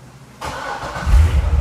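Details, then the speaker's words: C6 Corvette Z06 LS7 started after the OnStar jumper fix. It catches within a second into a deep, steady rumble, running normally, but a check engine light shows code P0171. "nice there's our jumper solution car is running okay but what is that check engine light about"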